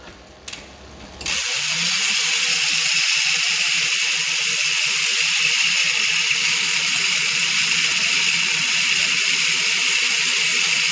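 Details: Trail Mech rear hub (Ukraine made, 60 points of engagement) after about 6–8 months use, freewheeling: fast, even, fine-toothed buzzing click, steady; healthy pawl engagement, no grinding or skipping.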